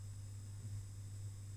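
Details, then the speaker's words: 1980 homebrew DMI ionlab buffer power supply model 2 (12V battery to 220V AC inverter/UPS), converter driven to 230 W output, 60 W idle power: loud, steady low buzz, unstable power transistor drive oscillating; inverter buzz, cause suspected. "sounds really really bad and the idle power is 60 watts this can't be good but it's definitely working a little bit and we got 230 watts of output but I just don't dare overrun this too long because it sounds like it sounds like trouble"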